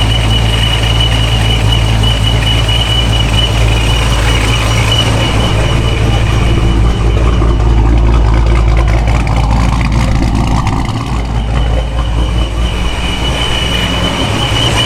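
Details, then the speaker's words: Forged 426 Hemi with a straight-cut-gear ProCharger D1SC at operating temperature, after a supercharger oil change: a steady deep idle with a constant high thin whine that sounds identical to before the oil change; this is normal straight-cut gear noise, not an oil issue. "I think this is just how these um straight-cut gear ProCharger sound I know most people get the helical gear set"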